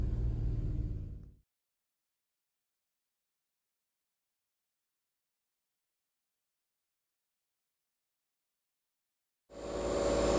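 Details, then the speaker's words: REx range-extender engine running in emissions mode with a whirring fan and quick regular rubbing: something caught in the rear REx radiator cooling fan, not a failing A/C compressor. "So if you're hearing this strange sound, it's not necessarily the air conditioning compressor going out. It sounds like there's something that's caught in the fan for the Rex engine radiator in the back."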